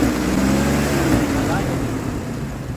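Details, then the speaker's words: 2003 Ford Explorer that failed inspection for a misfire, after replacing a bad ignition coil: engine hums evenly with no stumble and smooths right out as revs rise under throttle; normal running, though a worn tensioner still causes slight roughness. "Running smoother than it was. And once I put some pressure on it, it smooths right out."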